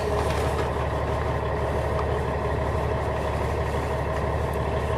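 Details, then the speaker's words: Class A truck diesel, warmed up from earlier running, idling in neutral during in-cab pre-trip check, oil pressure almost 40: steady, even rumble about three beats a second, no misses, knocks or whine; normal warm idle. "Now this truck, we inspected under the hood, and I actually had this truck running for a bit and did a couple other checks on it, and so it's kind of warmed up right now."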